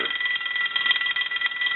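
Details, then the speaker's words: Stromberg Carlson 2-1553 rotary wall telephone under repair, analyzer on normal ring setting simulating a normal-voltage incoming call: loud fast even bell clatter holding steady, louder than the low setting, rings cleanly. "now we're going to use a normal ring setting like a normal call coming in with a telephone line that would have a normal voltage on it so we'll go ahead and do it normal"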